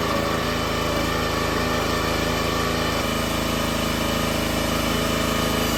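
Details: Brand-new minibike single-cylinder engine, about 2 minutes of run time, first start after repowering a $200 log splitter: steady, even putter with a regular exhaust beat, no misses, not leaking; runs well.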